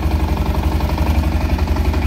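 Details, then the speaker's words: Automatic ATV with about 7,000 miles, at idle: even low thump with faint rattle on each beat from the clutch, which is getting loose but still works fine and will probably need replacing eventually. "that is from the clutch now that clutch is starting to get a little loose but it works fine for seven thousand miles on it and those clothes make a little noise now eventually that clutch is probably going to have to be replaced"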